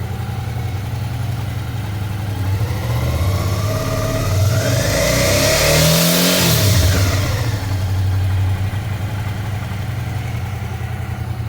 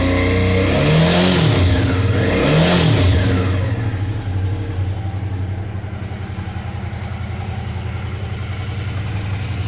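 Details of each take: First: Suzuki V-Strom 650 twin revving: metallic buzz near the engine appears around 5,000 rpm. Caused by a loose footpeg bracket part, found at service. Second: Suzuki V-Strom 650 after fixing a loose footpeg that rattled metallically around 5000 rpm from engine vibration: two throttle blips then a steady even idle, smoother with no metallic rattle.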